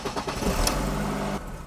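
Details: BMW E46 that has stalled since purchase, restarted after fuel pump replacement: engine fires and runs briefly with an unsteady wavering note that won't settle, still unfixed; vacuum leak; owner next suspects crankshaft position sensor.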